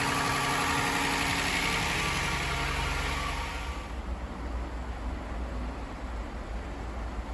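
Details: Toyota Highlander 2GR-FE petrol V6, 183,000 km, after engine overhaul for cylinder 1 misfire (P0301) and cold knock, warmed up: steady even low idle hum, partly masked by loud hissy background noise at first; runs normally.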